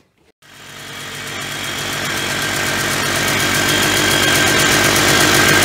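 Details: 1991 Polaris Trail Boss two-stroke, sitting 28 years, started with fuel poured into the carburetor: fires up and builds a buzzy, steady run with no misses or clatter, smoking enough; oil injection apparently still working.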